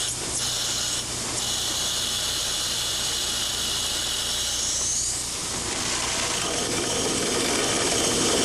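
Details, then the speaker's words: Control valve cavitation test: as inlet pressure rises from 100 to 150 to 200 psig, noise and vibration increase to about 108 dBA, heard as a loud gravelly hiss like sand rushing through the pipe downstream of the valve. "notice as the inlet pressure is increased from 100 to 150 psig and then to 200 psig that an increase in the level of noise and vibration is experienced under these pole conditions the sound pressure level is about 108 dba"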